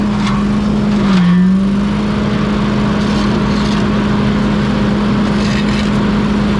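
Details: Pink Walker mower leaf loader restarted after being unclogged and reassembled on a cold (~34°F) day: strong steady hum at one pitch with a brief early dip. The loader is spinning freely and working normally.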